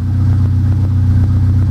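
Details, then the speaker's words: Pontiac Solstice first start-up after EFR turbo install, running OEM tune, no codes: after a rough start, a deep, even rumble with a steady low beat and no misses or knocks; smooth idle. "Oh Austin smooth very nice well that's good news"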